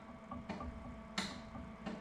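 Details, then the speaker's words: Commissioning a new inkjet printer before inking: testing the viscometer solenoid valve; crisp single clicks about every 0.7 seconds in a quiet room, switching cleanly and working normally. "good and then the add make up valve and again Goods clicking from each one of those so it's tested each of the solenoids"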